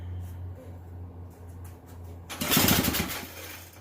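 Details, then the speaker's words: Bolens 322 two-cycle 22-inch curb-find snow blower, after carburetor cleaning and fresh gas, primer bulb tested: low hum then a sharp crackling burst as it fires on choke and starts right up; normal start. "let's give it some choke all right there you guys have it started right up"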